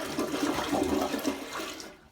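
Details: Toilet after the blockage was cleared by auger from the top and a bent hanger: a strong rush of water swirls and drains away cleanly, then the tank refills quietly. Normal full flush.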